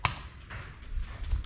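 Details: Injector 1 on an ECUMaster Black ECU output test: a couple of sharp, crisp ticks over a quiet room as it is pulsed from the software; the injector is switching fine.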